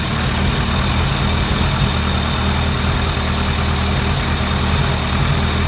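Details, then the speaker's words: 2001 ZRX1200R four-cylinder, CVK carbs with stock 35 slow jets, after tuning: deep steady idle, strong even intake pulse over 30 cmHg vacuum, no hunting; coolant bleeder leak noticed afterwards. Normal idle. "Man, this thing got a wicked badass intake pulse, that's for sure. We're up over 30 centimeters of mercury."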